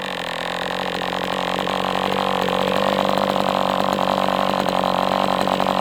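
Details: MDS 68 FS Pro four-stroke model engine on a break-in run, heavy exhaust smoke: fast buzz climbs slightly and holds steady, no sag or cutout. Running well, better than with the idle bar plug, after carb tuning.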